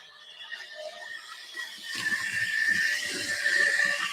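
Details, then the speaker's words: Newer model railway locomotive squealing heavily while running: a thin, steady high-pitched squeal over faint ticking. The owner suspects the non-brass (plastic or alloy) drive cogs and plans to replace them with brass ones. "that's probably one of my more newer locomotives but listen to it squeals like crazy it looks horrible"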